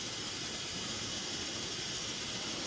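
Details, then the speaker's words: Pressurized petrol cooker warming up and vaporising fuel after lighting, flame turning mostly blue and clear: steady, even hissing roar with no sputter or pulsing; burning clean and healthy. "So you can start to hear it now. There is some, most of it's gone blue now and clear, which is exactly what we"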